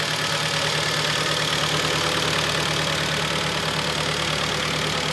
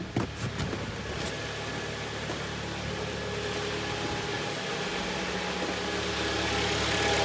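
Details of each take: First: 2011 Kia Optima, G4KD 2.0 petrol, 127,000 km, idling: dull, fairly regular knock about three times a second under the hiss, piston slap from scuffed pistons, likely two or three pistons, not severe, louder when cold. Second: Kia Optima 2011, G4KD 2.0, 127,000 km, after piston/ring replacement for early cylinder scuffing and knock; heard from outside, it idles evenly and quietly with no ticking, knocking or extraneous noises; normal idle.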